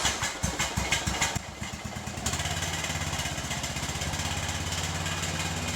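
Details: Troy Bilt mower, revived after about five years parked and carburetor cleaning, freshly oil and filter changed, mowing grass: steady, even single-cylinder thumping, no misses or knocks; normal running under load.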